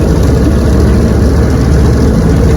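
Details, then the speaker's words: Restored 1971 Evinrude 9.5 HP 9122R outboard on lake test run: low, even burble holding steady with no stumbles or surges; clean, healthy normal idle, runs perfect. "Yes, sir. She's a keeper. Idles well. Runs perfect."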